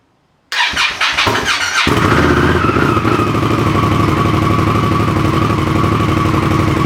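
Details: Indian Scout V-twin first start after exhaust install and rebuild, fuel primed, in neutral: about a second of cranking, then catches and settles into steady even idle with no misses or knocks; normal start and idle.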